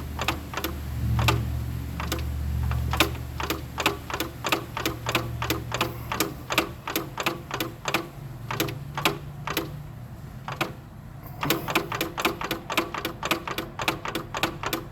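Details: Nissan Rogue with remanufactured CVT, under 2k miles: sharp regular clicking knocks two or three a second over low vehicle hum; clunking suspected from an internal transmission bearing.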